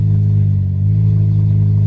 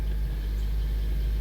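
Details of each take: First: 2003 Honda Element with its catalytic converter stolen: deep, loud, raw exhaust drone that rises with the revs and has no muffling; catalytic converter missing, awaiting replacement. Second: 2003 Honda Element after replacing stolen catalytic converter, new O2 sensor and gaskets: low even idle rumble, no exhaust whistle or hiss, no leaks felt; check engine light still on.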